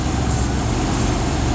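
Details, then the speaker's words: 1996 Ford F250 XL V8 with a bad fuel pump, running on starting fluid: a steady, even low rumble with no misses; all eight cylinders firing, smooth idle. "It's idling smooth. All eight cylinders are running."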